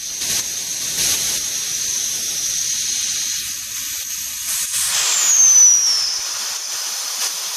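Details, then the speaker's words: Steyr LG 110 FT air rifle regulator, being serviced for pressure fluctuations: as the air cylinder is screwed in, a sharp, steady hiss and short falling whistle vent through it. This indicates the Belleville washers are probably working; whether properly is not yet known. "you're going to hear the air hiss out, and that'll be an indicator that the air pressure in the Bellevue washers is probably working."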